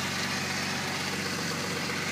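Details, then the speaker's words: 1997 VW Passat VR6 (AAA), timing chains and clutch reportedly just replaced, run with the exhaust manifolds loose. Steady idle with the timing chains quiet but a slight lumpiness, put down to a weak spark from worn ignition wires; otherwise runs well. "a little lumpy it needs a set of ignition wires but otherwise it's in uh good running condition"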